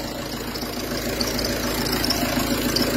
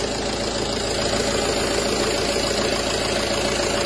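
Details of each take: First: Peugeot Partner 2.0 HDi 90 diesel idling with a dry, uneven clatter of about three or four clacks a second, diagnosed as a worn accessory belt tensioner pulley. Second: Peugeot Partner 2.0 HDi 90 after replacing the failed accessory belt tensioner pulley that caused a grinding squeal: a steady, even diesel clatter at idle with no squeal or chirp from the belt area, sounding healthy.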